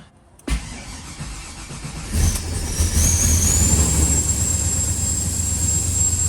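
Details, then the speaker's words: Chevy Caprice box Chevy cold start after three months sitting, battery terminal retightened, pump primed first; brief crank catches at once into steady even idle, no misses or knocks, healthy. "i'm glad you guys got to see the and hear the caprice run man it's been a long time since i heard that sound y'all so it was a pleasant sound to hear man she's running good"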